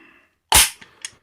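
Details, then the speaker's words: Scorpion Evo 3 pistol after moving the charging handle to the right side: sharp metallic clack as the action cycles, then light clicks; rod and bolt collide, handle spring now stiffer, noise remains even back on the left side. "the spring is lots different it didn't used to be this stiff and right now it's basically just hitting up side of the backside of the boat"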